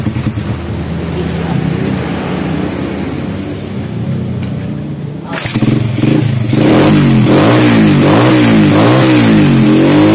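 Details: Honda Supra Grand after cam chain replacement, previously rattling badly from a worn chain roller: engine catches, revs rise and fall smoothly over a steady, somewhat loud exhaust with no chain rattle. Normal running.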